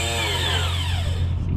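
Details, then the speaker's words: Honda Harmony lawn tractor that would not crank, starter jumped with cables: starter whirs freely with rising-falling whine and no cranking thump; Bendix pinion not engaging flywheel, suspected sticky starter drive. "oh sounds like the Bendix isn't coming out though right it's just spinning"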